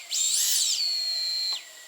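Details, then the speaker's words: Raptor210 quad, Hyperlite V4 2522kv motors, Quadrant 25A ESCs, armed without propellers; throttle raised above 1350 then lowered, high whine sweeps up, holds steady, cuts off; revving is air mode stabilizing; normal motor spin-up without props. "And if I go above 1350 and then lower it, if you listen carefully, you can hear the motor starting to rev up."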